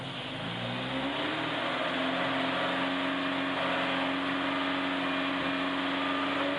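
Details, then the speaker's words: 1976 Alfa Romeo Spider, twin carburettors, after cold start with choke off, revved toward 3,000-4,000 rpm; pulls smoothly from roughly 1,100 rpm idle to steady drone, no knocks or misses; bouncy cable-driven tach at bottom is normal; healthy revving. "Sounds good. That bounciness at the bottom, that's absolutely normal Alfa."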